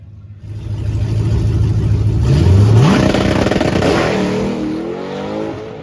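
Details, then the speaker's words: Johnny Cash car testing at Milan with the boost ramp sorted: on launch revs climb sharply, outpacing the pull, then a rough shift. The clutch slips badly, and this clutch needs an hour of cooldown between runs. "so as you can see there the clutch was slipping really bad i'm coming to find out that particular clutch needs an hour of cooldown before you can make another run"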